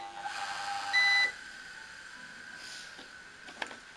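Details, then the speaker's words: Blazer Vista UPS converted to an inverter on a drill battery, running a bigger AC motor: a single steady high beep of about a third of a second as the motor's heavy draw drops battery voltage and the inverter cuts the load. "As you saw, the motor turned, but it drew too much inverse current, and the inverter cut the load because the battery voltage decreased too much."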